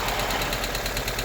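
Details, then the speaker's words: Honda Civic EK hatch bought with a snapped timing belt, running rough: fast, even ticking from the valves that keeps pace with engine speed, alongside a throw-out bearing noise. Owner fears a bent valve and plans to adjust the valve clearance. "then you can hear the valves or chicken pretty hard I hope that's not an indication of a penpal"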